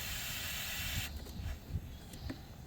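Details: 2000 Chrysler Grand Voyager: a steady hiss that changes when covered by hand, refrigerant escaping where the AC line behind the high-pressure switch rubbed through on the firewall, which is why the AC didn't work; the line needs replacing.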